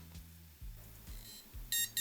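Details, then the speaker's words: Macintosh Color Classic after analog board recap, at power-on with a RAM stick swapped in: a few quiet clunks, then two short clean high beeps, a normal self-test; it seems to be booting fine. "perfect well that's not a definite test but it it definitely seems to be working"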